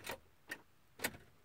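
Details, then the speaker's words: 2013 Ford F-150 5.0L, failing after sitting, with the battery reading 12.3V: four sharp single clicks about half a second apart and no cranking at all; a no-crank, no-start condition that persists in neutral too. "and when I go to start nada sounds like a really over here clicks"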